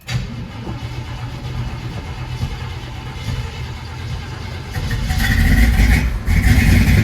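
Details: 1979 Chevrolet Camaro Z28 V8, Hurricane Ida flood car loaded with water, running on carb fed by hand (fuel pump to be ordered): deep steady burble, picks up cleanly when blipped, no knocks or misses; normal running.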